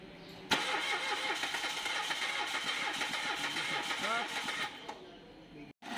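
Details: Mitsubishi Mirage crank no-start: starter spins engine at an even quick crank for several seconds without firing; no power reaching the ignition coils.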